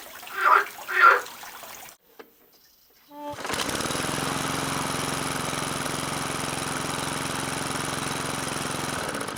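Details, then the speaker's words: McCulloch lawn mower after a no-compression fault, once the valves were checked and cleaned: starts on the first pull and runs steady and even with a constant note and no misses. "and I'm extremely happy to be able to tell you that I pull the starter rope only one time and it started immediately"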